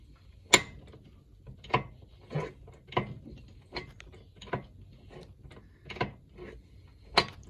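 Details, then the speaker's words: 1982 Suzuki RM80Z air-cooled two-stroke, slightly low on compression, kickstarted: sharp intermittent clunks, some louder, not every kick; owner suspects the piston rocking or kicking over, unconfirmed until opened. "Yeah, it doesn't do it every time, but it's obviously something not quite right in there. It might be that the piston's just kicking over a little bit and you don't know, do you?"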